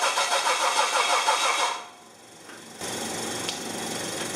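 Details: Test run of the LPG-fuelled rear-mounted Medusa engine with the distributor pickup terminals swapped from the original build wiring: ragged, stumbling firing for under two seconds, then it dies. The reversed pickup wiring causes it.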